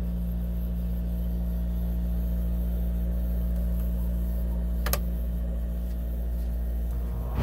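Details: RV rooftop air conditioner that had only hummed without spinning, after the fan motor was sprayed with WD-40: steady low hum with an even fan drone, no stalling or labouring; now running normally.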